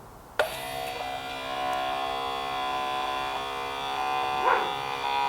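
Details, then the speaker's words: 1988 Ford Sapphire RS Cosworth ABS pump motor bench-tested on 12 V with the correct polarity and brake fluid in the reservoir. A steady high electric whine with an even buzz and no stutter or labouring; it runs normally. "sounds all right I am going to put just a smidge more brake fluid in just to make sure it's pumping it around"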